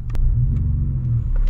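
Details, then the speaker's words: BMW E46 wagon with aluminum-block engine: deep low rumble at idle that swells and dips unevenly instead of holding steady, a weird hunting idle, cause not known. "Yeah, I don't know what it's doing some weird idling"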